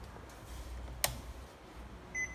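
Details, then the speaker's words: Panasonic air purifier at power-up beeps twice and won't run because the tilt-sensor magnet is missing; refitting the magnet makes it run. "điện lên, máy kêu tít tít. Đấy. Bấm không chạy, loa bấm không chạy thì đây."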